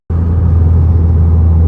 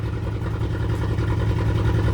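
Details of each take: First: 2010 VW GTI after engine rebuild, driving on the freeway after refuelling to replace two-year-old gas blamed for the misfire and after a low oil pressure sensor replacement: deep smooth steady rumble, zero misfires; normal running. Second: 2010 VW GTI 2-door turbo engine, rebuilt after timing chain tensioner failure, first start: catches into an uneven, lumpy, loping idle with one cylinder not pulling, found to be an unplugged injector; misfire.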